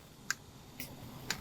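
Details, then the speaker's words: B5.5 VW Passat secondary air inlet valve commanded through output diagnostic test mode: three crisp clicks about half a second apart, showing the valve gets power and ground from the ECM; P0411/P0491 diagnosis. "So when I activate this, I should hear a click."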